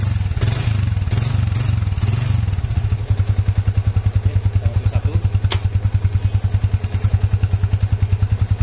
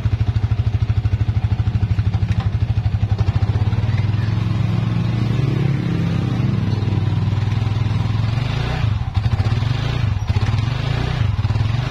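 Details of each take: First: Yamaha Vixion motorcycle held on the rear brake in gear with throttle applied: a steady low thumping about three times a second from the rear hub/drum, silent without throttle. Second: Yamaha Vixion motorcycle after replacing rear hub bearings/bushings for a ticking noise in the rear drum: smooth steady idle with no clicking or grinding from the rear wheel; noise gone, also gone while riding.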